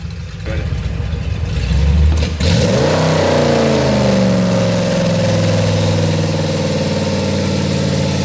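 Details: Ford 351 Windsor V8 with a flat-tappet cam, EFI fitted, in a full-load dyno pull: it pulls hard, then stumbles and drops off near the top (peak 261 hp). A high-rpm miss; unsure whether it is the rev limiter or the engine.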